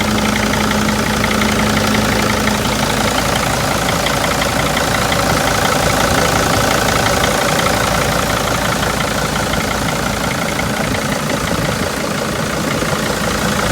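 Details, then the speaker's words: 2002 T1N Sprinter five-cylinder diesel van with 118,000 miles at idle: a steady, even clatter with no misses or stray knocks, judged to sound really good, which is a normal idle. "i must say that sounds really good for an"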